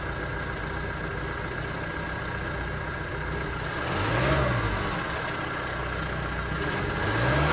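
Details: 2009 Ford Transit Sport van with a lumpy, uneven idle and stumbles that carry into the revs as the engine picks up; engine misfire.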